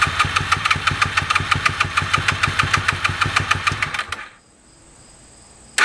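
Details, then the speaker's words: 2001 Honda VFR Interceptor (Gen 5), stock apart from a White Bros slip-on, sat in a barn nearly a decade; battery 11.18 V. Even starter chug about three beats a second for four seconds, tempo changes with throttle while cranking, never catches: crank no start. "all right so it cranks and it changes Tempo when I uh work the throttle while cranking it so I think those are good signs"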